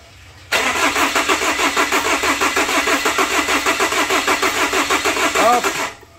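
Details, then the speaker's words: Chevrolet Captiva diesel (FL C140) cranking steadily, about three turns a second, without starting after total cleaning and tank drain; air in emptied fuel lines, bled by loosening injector line bolt while cranking until foam comes out. "Nah untuk menghemat baterai kita buangin dulu agar solarnya cepat kompresi yaitu dengan cara kita starter mobilnya kemudian kita longgarkan baut selang nempelnya nanti keluar seperti busa kemudian langsung dikunci Nah agar udara yang ada di jalur bahan bakarnya keluar di saat kita melepas baut selang injektornya"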